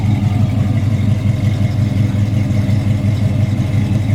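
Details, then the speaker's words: 1968 Chevy Impala, 383 stroker V8, mild cam, rebuilt Turbo 350 with shift kit, open-chamber Flowmaster-style mufflers: deep, loud idle with an even rolling lope of about three pulses a second, a healthy engine. "you can tell it's got a cam in it got a little little bump to it it's got really good power"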